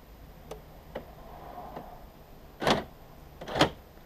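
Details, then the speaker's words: 1994 Peugeot 306 infrared central locking, tested with the repaired remote on a temporary battery rig; a few soft ticks then two sharp clunks about a second apart from the door lock actuators; central locking working. "that is working just need some batteries now and we can put the remote back together"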